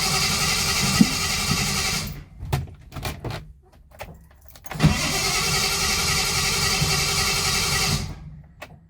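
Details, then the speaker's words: Triumph 2000 with a suspect carburetor, after adding half a jerry can of fuel when low: long hissy cranking, clicks and retries, then more cranking before it finally runs; owner suspects it took time to draw fuel through. "Okay. At least she started now. I know I'm down on fuel. I know maybe it just took some time to suck it through."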